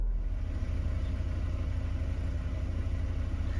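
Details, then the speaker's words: Mercedes 220CE W124 coupe, idling high since a replacement throttle body: low idle with an uneven, lumpy beat. Rough idle, with the MAF or an air leak suspected, not confirmed. "don't know if you can see that there but there's a bit of a rough slightly lumpy idle"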